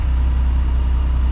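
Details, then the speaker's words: 1979 Ford F100, 300 straight six, Holley 390 4-barrel, dual port intake, header, dual exhaust, about 50 miles after revival from 1992: deep, steady, even idle, no knocks or stumbles; idle still needs slight adjusting, runs healthy. "Still have to adjust the idle a little bit. But besides that, it's running great. Sounds really cool. Sounds like a bunch of bees when you get on it."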